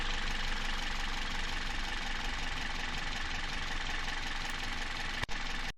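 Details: Toyota 1ZZ-FE engine at idle: a busy metallic clatter rides steadily over the hum. The engine is knocking and the cause is not yet pinned down.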